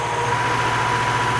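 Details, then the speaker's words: Classic Saab barn find with 81,000 miles, stored 32 years, freshly revived and running from a small rigged fuel can: smooth, steady hum with an even beat and no misses, ticks or knocks. Normal idle. "I just can't believe how smooth it is. It's so nice."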